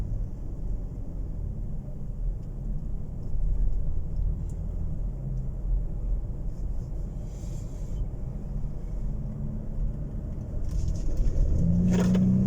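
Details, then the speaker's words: 2015 Ford Expedition turbo on a road test after replacing a worn spark plug for code P0306 (cylinder 6 misfire) and clearing codes: smooth low rumble under acceleration with no stumble, and no slip light appeared. "الآن ما شاء الله تبارك الله استجابته طيارة. طبعا التربو معروف في الاستجابة في البداية."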